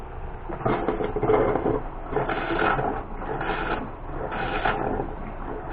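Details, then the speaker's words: Rockwood 2606WS travel trailer water pump running during winterizing, after 30 psi air blowout and bypass set to winterizing; low motor hum surging in pulses about once a second, steady and even as it charges; normal pump operation. "The next thing to do is to turn on the water pump. You can hear it charging."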